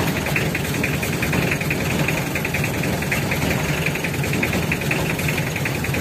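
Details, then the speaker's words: Mitsubishi L300 diesel with stinging white smoke in the morning: warm idle with rough, uneven clatter and irregular knocks; leaking fuel injectors, which if left unfixed could break piston rings. "Jadi kalau injektor nya bocor mulai asap putih peti pagi hari di Oh gagal kacau bisa patah ring Piston"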